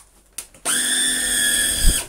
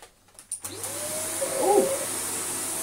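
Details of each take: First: Shark vacuum cleaner switched on; only a thin, steady high whine from the brushroll in the powered head, with no suction roar. The main suction motor is dead. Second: Shark vacuum from a joblot: the motor spins up smoothly to a steady, even hum with a clean tone and no rattles. Running healthy.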